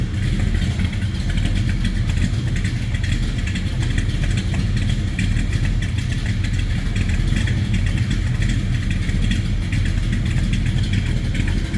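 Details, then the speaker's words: 1972 Chevrolet Chevelle Malibu convertible, 383 stroker V8 with Turbo Hydramatic 400, warming up after a cold start: deep, loping rumble with choppy cam pulse, clean exhaust note and excellent throttle response; sounds healthy. "Give you an idea how it sounds. Excellent throttle response. Like I said, this baby sounds healthy."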